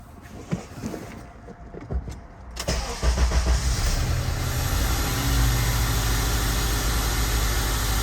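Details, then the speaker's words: Honda Element with P0301 misfire code, after rocker adjustment: engine cranks and catches, then settles into a lumpy, uneven idle with a steady stumble; still down a cylinder. "Yeah, it's bad. right there. It's down a cylinder still."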